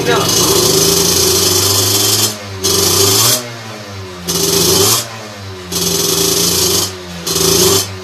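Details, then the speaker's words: Two-stroke with 17.5 mm carburettor on bench, needle deliberately set far too rich: short throttle blips rise and fall unevenly, woolly and never crisp through midrange; over-rich mixture, pulls fine only at heavy throttle. "je vais leur montée sur la machine sur le banc et je te montre ce qui se passe tu vas voir que c'est pas terrible"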